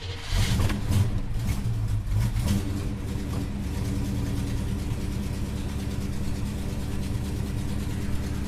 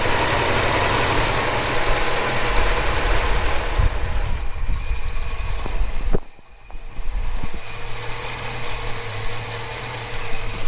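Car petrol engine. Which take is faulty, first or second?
first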